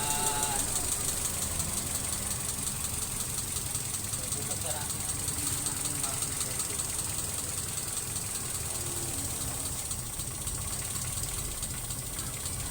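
Idle is lumpy and uneven with irregular stumbles under a steady hiss, pointing to an unmetered air leak on the intake.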